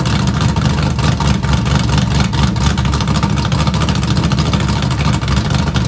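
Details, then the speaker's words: Small-block Camaro on straight open headers with a choppy cam, true cold start after sitting three weeks. Deep, loping V8 idle with an uneven, lumpy beat, running steady and healthy. "straight open header with this choppy Cam that has literally been sitting for three weeks"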